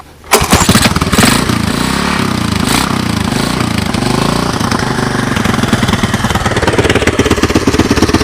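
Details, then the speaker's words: 1986 Honda TRX200SX single cylinder, cold start on choke using portable GY6 12V CDI ignition and Honda 200S carburetor: catches almost at once, quick even steady beat, no bad sounds, smoke or leaks; normal cold start. "kind of see the gas going down sounds pretty good I got it on Chuck"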